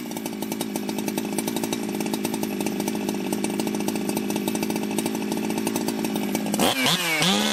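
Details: Jonsered 2071 chainsaw, back on the bench after running poorly like an air leak with a hot case and crankshaft bluing from rubbing, restarted after possible flooding: even, rapid two-stroke idle, then a clean rev up and down with no misses; healthy.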